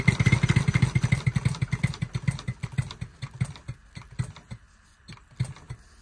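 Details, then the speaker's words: Bantam live-steam model locomotive running on air after its rods were rebushed with new pins; even, crisp exhaust beats at about two per second slow and fade as the air eases off, with no knocks, running much better. "much better so the remaining Clank is in the boxes at some point she will need any boxes um but that's enough for now"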